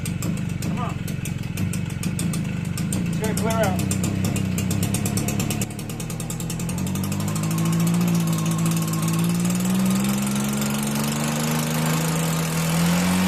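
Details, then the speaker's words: Stihl BR 340 backpack blower two-stroke, after water in fuel cleared by pulling with plug out, no starter fluid: catches, steady buzzing with pitch climbing smoothly, runs fine. "okay guys so it runs good that's it i didn't use starter fluid i just took the plug out and pulled it a bunch of times"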